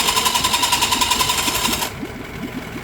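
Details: Mariner outboard motor dies when put in gear; in neutral, fast, even buzzy cranking spins a couple of seconds without firing, then falls away; hard starting.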